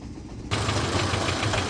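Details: Peugeot 301 warm petrol engine idling, misfiring once warmed up with power loss; lumpy uneven beat with dull knocks, rough idle; owner suspects the lambda (oxygen) sensor.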